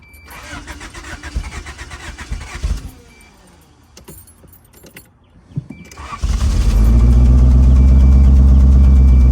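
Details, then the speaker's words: 1987 Honda Accord carbureted four-cylinder, spark plugs reinstalled after compression readings of 150 and 157: after a rough cranking catch it settles into a strong steady idle, misfires seemingly gone but revving too high at idle; idle screw adjustment planned. "Seemingly no more misfires, but now we have the issue of it revving too high at idle."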